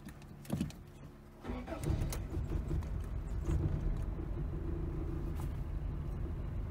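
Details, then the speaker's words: Carbureted 1988 Toyota Corolla at a carburetor shop: ragged crank, then uneven lumpy wandering idle; shop diagnosed a completely shot carburetor, engine otherwise mechanically fine, always starts up rough. "it always starts up like a bag of [ __ ]"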